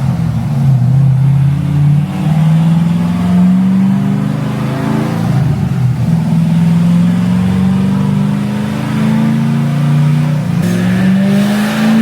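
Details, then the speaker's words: 2006 Corvette Z06 V8 on dyno after suspected knock, diagnosed as not rod knock and retuned (about low 500s power): deep roar climbing smoothly at full throttle, no misfire, knock or stumble; engine healthy. "They diagnosed it and everything. They actually threw the car on the dyno."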